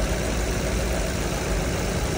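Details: 2012 Chevrolet Cruze LTZ after repair: steady, even low idle with no knock or tapping; rough running traced to a shorted knock sensor faulting the 5V sensor supply, found after three days; engine now idles smoothly.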